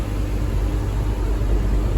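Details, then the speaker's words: V6 swapped MR2 idling warm about 20 minutes while bleeding coolant, temperature not rising: low steady hum, even rumble, no knocks or misses; normal warm idle, though code P0505 idle air control appeared once. "So far, hasn't gone up in temperature. That's where we're idling. It's been about 20 minutes already."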